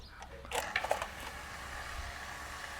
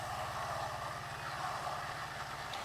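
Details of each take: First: Household water pump that would not shut off after its tank ran dry and air entered the system. After re-bleeding the air, it hums steadily with no surging and cuts off when the outlet is closed; normal run. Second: Water pump keeps running and won't cut off when the outlet valve is closed, steady hum with a hissing, rushing air sound inside; owner suspects air not fully bled from the pump.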